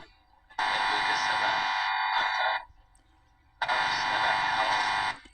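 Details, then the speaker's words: Howard Model 45 radio after restoration and alignment, powered up, loose knob: harsh, loud buzz in two bursts of about two seconds with quiet gaps; interference from an unknown source in the house, happens all the time. "You wonder what that buzzing noise is? It's something to do uh with something I got on in the house. I'm not sure what."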